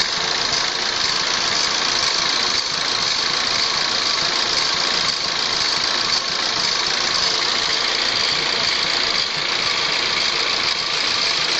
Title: Vacuum leak?